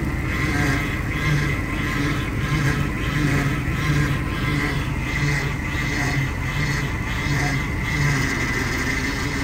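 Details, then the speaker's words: Vintage RV at idle, standing still, after fabricating a replacement power steering hard line for a pinholed line from the Chevy Hydroboost to the steering gear. Steady whine with faint pulsing groan from the pump: air in the system, needs bleeding; no leaks seen. "definitely have to bleed the system a lot of air hear that"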